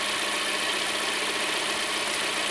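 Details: Lada Kalina 16-valve after replacing the oil pickup O-ring and cleaning the pickup to cure hydraulic lifter knock: steady, even idle with a smooth hiss, no ticking or knocking from the top end; engine sounds healthy.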